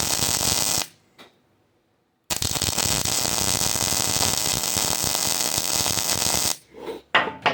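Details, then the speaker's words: Hobart Ironman 240 MIG welding on a table clamped with a C-clamp; the arc crackles and spits unevenly as it strikes, attributed to MIG's sensitivity to a good ground rather than the run-in feature; arc sputter from poor ground. "And so you could actually hear there a little bit of spitting and sputtering when I first pulled the trigger. I think a lot of people attribute that to that run-in feature, but MIG is extremely sensitive to having a good ground."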